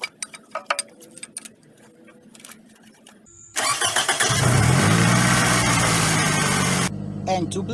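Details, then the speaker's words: Toyota Camry 2.4 after power steering pump replacement, engine running while wheel turned side to side about 15 times to bleed: low groaning whine swells and wavers with steering; air still in the power steering system. "to bleed out the air out of the power steering pump, all you do is turn on the engine and turn the steering wheel to the side. I don't know if the camera can hear the noise, but you do it about 15 times to each side, right and left."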